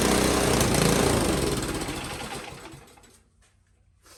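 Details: Powersmart snow blower that wouldn't start, after ultrasonic carburetor cleaning: small petrol engine runs with fast, even chatter and no misses, then winds down to a stop; healthy run.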